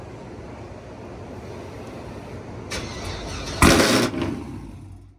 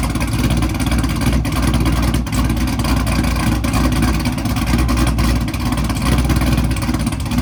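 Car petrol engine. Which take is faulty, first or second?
first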